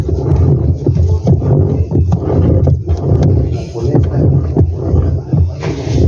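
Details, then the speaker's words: LG twin-tub washing machine agitating with loud rough growl and irregular clunks from a badly worn, broken transmission, to be replaced. "Bueno le vamos a reemplazar esta transmisión parece está sonando un poco rara y bueno la vamos a reemplazar"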